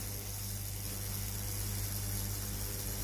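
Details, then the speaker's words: Tefal GV8950M0/23 steam iron with no steam, OK light on: water pump tested with inlet hose in water, faint steady electric hum, no gurgle or water from outlet; failed pump runs dry with no output. "Plongez le tuyau en caoutchouc de l'entrée d'eau dans l'eau. Aucune eau ne sort du côté de la sortie de la"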